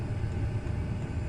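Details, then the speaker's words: Chinese diesel heater, cover off, dosing fuel pump wrapped in fire blanket to quiet it: the high-pitched clicking has changed to a soft, deeper throbbing hum under the heater's low rumble; ticking damped, not gone, a definite improvement. "the ticking noise hasn't completely gone it's just uh kind of changed its tone it's gone from that high pitched uh clicky noise to more of a deeper like a a throbbing a lower tone"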